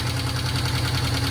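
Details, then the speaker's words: 1972 Honda CL350 twin, fired up: even, steady putter at 1100 rpm, evenly spaced pulses, no hunting. Finding: normal idle. "She is nice and steady. Right there at 1100."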